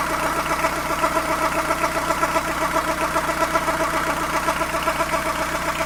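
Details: Fiat Ducato van diesel at warm idle, noticed after a coolant change: a rhythmic rattling pulse of about two or three beats a second from the belt side of the engine, heard only once warmed up and only at idle.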